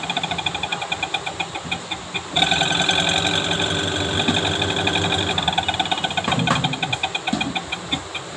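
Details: Panasonic Active Foam 8 kg washing machine, empty drum on spin: fast rough ticking about four beats a second over steady hum. Noise during spin, gearbox and drive motor being checked.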